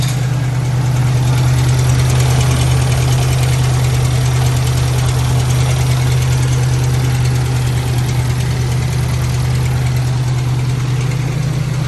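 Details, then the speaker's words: 1997 Lincoln Town Car Signature that sat 2 years after timing chain failure: rough idle, steady low drone with quick light rattle from the front timing cover area; owner unsure if chain or tensioner, supposedly replaced; dies off with throttle. "yeah here's some rattling around the front there i don't know if it's a timing chain rattling or the tensioner supposedly that stuff was supposed to have been replaced"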